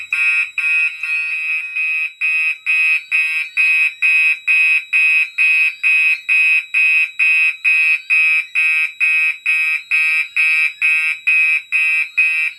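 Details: Gentex fire alarm system test: a shrill horn blasting in even pulses a little over two a second without a break, the alarm horns sounding normally.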